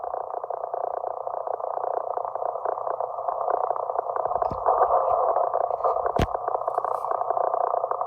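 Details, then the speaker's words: 160 m receiver around 1.822 MHz: harsh steady rasping buzz repeating every 16 kHz, very strong, traced to a failing Antec HCG-620M desktop PC power supply 0.20 miles away; replacing the supply eliminated it. Switching power supply interference. "There's the noise there also, and also there. It's every 16 kilohertz. It's really strong right now."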